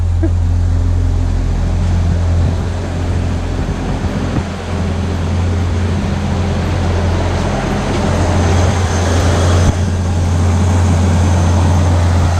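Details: 1986 Ford Aerostar, 2.3 L four-cylinder, 5-speed manual, just started, owner believes low miles: deep, steady punchy burbly exhaust rumble at idle, no knocks or ticks; normal healthy idle.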